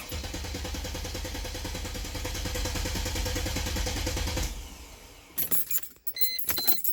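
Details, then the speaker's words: 2000 Mercedes-Benz E320 W210 estate that shut down and would not restart, after fuel pump and filter replacement; starter cranks steadily about four seconds without catching; crank position sensor suspected next; cranks but no start. "the reason for our maintenance today is we pulled in the driveway in this whole car the other day and she just shut right down and she would not crank back up"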